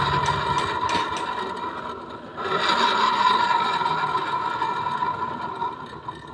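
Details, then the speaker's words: Carbureted Honda Vario scooter idling: coarse growling rasp with a faint uneven beat from the CVT area; after removing the clutch, noise became smooth. "Ini kedatangan Vario lama guys Vario karbu kendalanya nih bunyinya kasar"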